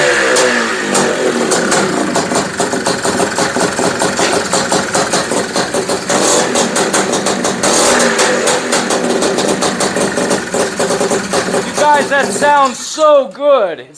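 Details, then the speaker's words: Honda Odyssey FL350 two-stroke at first start after fitting a DG exhaust and Keihin carburetor: a rapid, crackly idle that runs slow and lumpy before shutting off; a carburetor idle setting is suspected to need adjusting. "so let's give her a start so wow how does that sound to you guys i think it's idling a little slow though"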